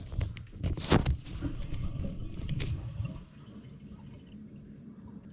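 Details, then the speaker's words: Newly installed Niagara Stealth two-piece 0.8-gallon-per-flush toilet, first flush test after water turned on: a soft rush fading within seconds into a gentle trickle; very quiet, healthy flush with no leaks seen. "barely heard the flush yeah i can't see anything interesting that was very very quiet"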